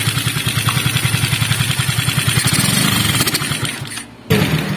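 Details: Three-wheeler cargo motorcycle single-cylinder engine started with a repaired starter motor once judged burned out: strong even thump, about three and a half beats a second, sags briefly then picks back up; engine running fine.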